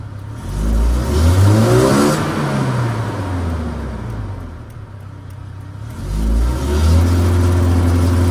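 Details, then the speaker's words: Toyota Innova engine with idle stuck near 1,000 rpm: revs climb then sag and stumble, sputtering under full throttle and won't pull cleanly; airflow meter suspected of misreading intake air, not confirmed. "terus suaranya itu beret beret beret beret beret beret gitu ya tuh ini kalau kita gas nih berebet-brebet"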